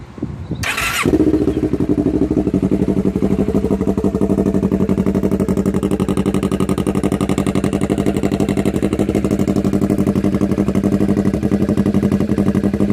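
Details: 2007 Kawasaki Ninja 650R, bought second hand, before exhaust replacement. A Yoshimura silencer missing its end cap, baffle and packing is welded via 2-inch pipe to the header. After a brief crank it idles with a loud, raspy, open bark.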